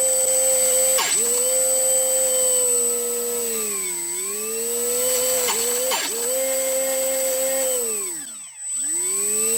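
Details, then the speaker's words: HobbyKing EZIO 800 RC glider brushless motor at only 25–30% throttle on a 2-cell 800 mAh battery: whine stumbles with crackly grinding bursts, dips and a long squeak. Battery ruled out; faulty ESC suspected. "hmm can probably hear those grinding noises so it's not battery related [Music] that was a long squeak and it was only a 25 30 percent throttle so i think we have a bad escape"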